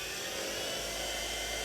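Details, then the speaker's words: TurnCrafter Commander 12-inch lathe after a control board repair (bad MOSFET replaced): smooth, even high whine, not yet at maximum speed, with slight vibration from the unbolted base. The motor holds speed with no knocks; normal running. "turning the potentiometer and that noise is just this little fatherly and vibration and don't have this bolted down or anything it's not maximum"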